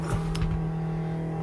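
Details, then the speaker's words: 1949 Chevy 3100 pickup: steady, loud droning hum with a fixed pitch and no engine rhythm from the electric fuel pump under the truck. It runs far too loud, and a quieter replacement pump has been ordered. "this truck has electric fuel pump and it is so loud a matter of fact i'll play it right now ready all right"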